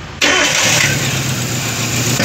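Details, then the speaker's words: Chevrolet Spark after head gasket replacement and timing job, new oil filter and 3.5 L oil, coolant not yet added, one hose off: brief crank then catches at once into steady even idle, slight smoke; clean first start. "दोस्तों, यह car एक ही बार में start हो जाती है। दोस्तों, थोड़ा धुआं है।"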